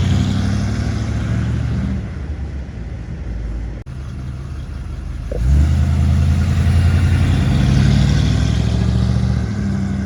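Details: 1957 Chevrolet 210 sedan with a 350 V8 and Turbo 400, recent mechanical upgrades: deep lumpy rumble catches quickly, settles into a steady burble, then swells cleanly with each blip; a healthy start, idle and revving.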